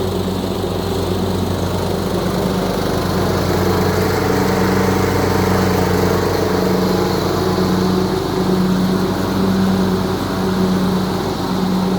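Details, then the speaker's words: Craftsman LT3000/YTS3000 riding mower said to have a rod knock, owner suspected valve adjustment; after the repair the small single-cylinder engine holds a steady, even beat with no ticking or knocking, problem fixed; normal running. "[Music] I think it's more working pretty good seems like we got our problem fixed"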